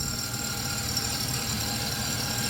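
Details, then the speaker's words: 1994 Chrysler Town & Country AWD, started after sitting about a year, with a seeping, softened O-ring. Even, settled idle with a steady soft hum and no misses or surges; it runs fine. "like I think that'll be okay it's running good right"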